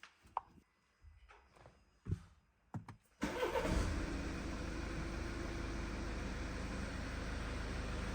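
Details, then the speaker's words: BMW 520d G30/31 B47 diesel after oil and all filters changed, fuel filter primed about 3.5 minutes: fires at once, starting easily and fast, settling into steady even idle without stumbling; normal. "Alright everybody, so as you can see right here, the engine is turned on. It started very easy and very fast."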